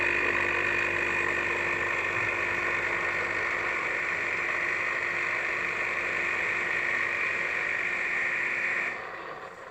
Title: Philips 5360/10 strange noises?(3)